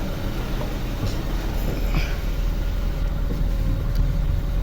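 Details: Chevrolet Beat diesel engine after overhaul: steady diesel clatter at idle, even low rumble with no knocks or misses, engine running smoothly.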